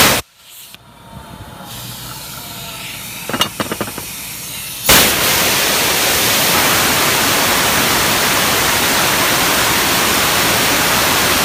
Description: After testing the PTO for noises, we found out that at high RPMs the PTO bearings were making whining noises.